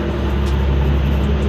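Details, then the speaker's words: RB25DET Neo after replacing squeaky alternator with LS1 alternator via CWC kit, first start: low steady engine hum with no chirp or squeal, belt not wobbling; quiet and healthy. "Well, we don't have any squeaking. Looks like the belt is there. Not seeing any wobbling. There's no squeaks going on."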